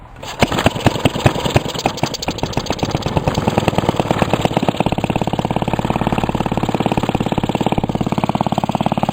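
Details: Restored 1945 Briggs & Stratton Model WMB single-cylinder engine, first run after restoration: steady putter that settles into an even firing rhythm after start-up, no knocks or misses; normal running.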